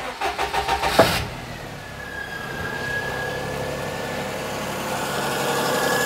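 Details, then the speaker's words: 2004 Perodua Kenari after a timing belt change, engine catches after a brief crank and idles with a faint steady whine from the power steering pump; fluid slightly down, earlier whisper from a dying alternator belt gone. "that sounds a bit more like Desmond's usual wine in his back sounds nice and peaceful seems like the wine is just a power steering pump uh plenty of fluid"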